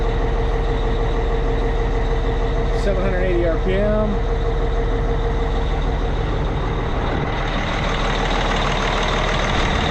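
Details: Cat 657E scraper, Caterpillar C18 diesel idling after repair of oil loss from failed air compressor (new cam/idler gears, timing cover, compressor, pan repaired): deep smooth even idle, no knocks or misses, brief turbo whistle; normal idle.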